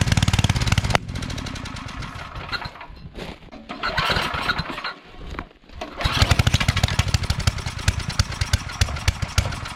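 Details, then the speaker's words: Coleman Powermate 5000-watt generator after sitting for years, carb cleaned and fuel line clamp replaced: small engine runs, sags almost to dying, then recovers unevenly, not holding speed; output only about 80-something volts, not full power. "okay so for some reason we're not getting full power so yeah on our voltage we're only getting 80 something"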